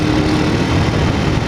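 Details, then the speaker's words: Honda CG 1999 riding after valve clearance adjustment (valves had been loose; owner had feared a con-rod noise): steady single-cylinder drone with no knock or clatter; noise much calmer. "de um regulada nas válvulas né rapaziada e eu percebi que o barulho já tá bem mais tranquilo"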